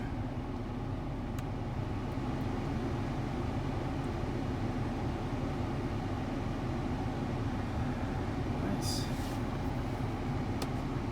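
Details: Volvo XC90 blower fan after replacement with a used unit from a 2006 S60: only a steady, even rush of cold air from the vents, no chirp or tick; the previous chirping noise is gone, normal blower operation.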